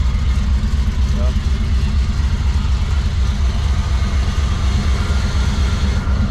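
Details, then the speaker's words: GMC truck V8 after exhaust work, warmed up after a brief starter grind: deep, even idle lope at steady pulses, about eighty a minute, with no misses or knocks; healthy idle. "we'll do some street driving with this thing later on but now she sounds beautiful"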